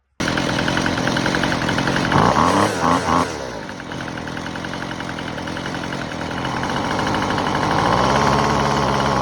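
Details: Weed Eater FeatherLight Plus FL26 two-stroke string trimmer with a new replacement carburetor, after idle screw adjustment: a crisp, steady buzz that picks up cleanly when blipped and settles back smoothly; running healthy.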